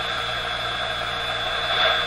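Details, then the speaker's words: 1957 Chevy Model 561 car radio after replacing the capacitors to cure low volume: it plays a loud, steady tone with hiss at full, strong output. One or more of the old capacitors had reduced the output. "but i think there's a lot more volume oh yeah oh yeah yeah yeah yeah very good so one of those capacitors is responsible maybe maybe all of them together ganging up you know they do that gang enough to reduce the output on the uh on the radio"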